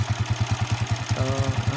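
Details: Honda TMX 155 motorcycle that had spark but would not start, after repair (ignition coil blamed, new CDI and spark plug hadn't helped): even single-cylinder putter around nine beats a second, steady and unbroken; idles cleanly, ignition firing properly.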